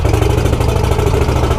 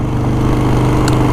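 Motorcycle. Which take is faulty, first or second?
first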